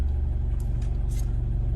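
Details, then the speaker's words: Car at idle with no throttle input: deep, uneven idle pulses with an occasional stumble from a cylinder two misfire. It is consistent with spiking fuel-pressure live data on a scan tool. "That to me was completely consistent with the misfire."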